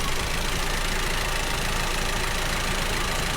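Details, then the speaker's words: 2019 Audi TT 2.0 TFSI, about 50,000 miles, engine light and hesitation: idle with an irregular stumble breaking the rhythm; cylinder 1 misfire, scope waveforms suggest a faulty spark plug. "So it is struggling to spark or run correctly due to the misfire. So the misfire is currently happening at idle as well, which is good for us if we can test for it."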